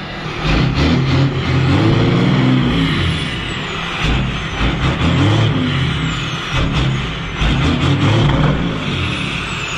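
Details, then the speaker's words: 12-valve diesel truck with NV5600 manual and newly installed exhaust brake, on a 37-degree day; heavy low roar under load with a loud throaty bark on engagement; exhaust brake working properly. "oh my goodness okay that was loud i can only imagine what that sounded like"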